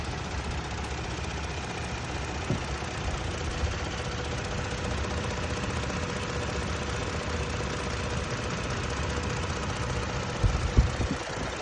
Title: 2022 Tacoma - 1400miles engine ticking noise